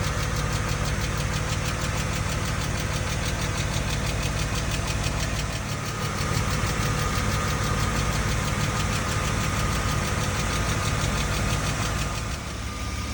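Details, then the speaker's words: BMW M50B25 on first start after all 24 hydraulic lifters were replaced with new Kolbenschmidt units, with new oil, filters and plugs; quick light ticking over a steady idle because the new lifters had not yet bled up. Hydraulic lifter tick. "вчера когда первый запуск сделали первые 40 минут 30 минут он тарабанил так как гидрокомпенсатор были не прокачены"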